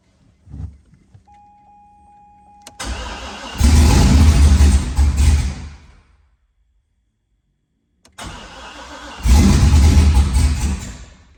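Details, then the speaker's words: Car after transmission rear-cover work, recently fixed fuel leak, half tank: it cranks, catches and chugs unevenly, dies and restarts rough. Oil pressure builds but no fuel reaches it, because a ground wire was unhooked so the fuel pump isn't running. "He's not getting any fuel, but oil pressure is building."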